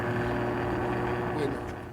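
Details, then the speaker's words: Maytag two-speed washer motor rewound from aluminum to copper wire, running about 1191 rpm on the 6-pole winding at 6.3 A; steady hum with an abnormal growl, 6-pole winding suspected shorted, motor self-starts without start winding and coil heats. "はい、でもモーターが唸っています。はい。つまり、あんな風に唸るはずがないんです。"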